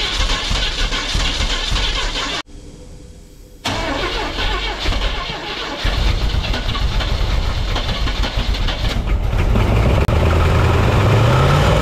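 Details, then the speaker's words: 1971 Chevrolet C10 first start: cranks and catches, then idles with an uneven, lumpy beat that keeps stumbling, still missing; owner suspects some lifters not set right or not pumped up. "also sounds like maybe there's some lifters that aren't quite set right or they're not pumped up"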